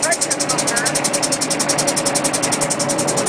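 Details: Truck air brake system, primary air not building, low-air warning sounding: a steady, sharp hiss flutters rapidly and pressure never builds because the air dryer purge valve sticks open and leaks.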